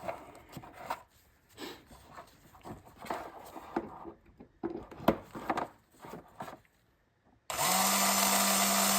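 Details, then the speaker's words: 55-year-old Porsche VDO electric windshield washer pump, bench-tested on 12 V after repair; previously only thudded: starts with a steady, even whir, no stumbling; running normally. "Awesome, that's the sound of success. So, easy project. We saved a part, a 55-year-old part, saved some money"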